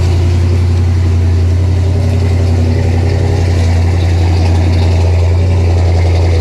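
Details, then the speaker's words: 1968 Pontiac LeMans idling on its jack stands right after a self-installed dual exhaust kit. Deep, even burble with a strong low rumble and no ticking or puffing from the joints; no exhaust leaks heard. "I don't hear any leaks. All right. Got it to kick down a little bit."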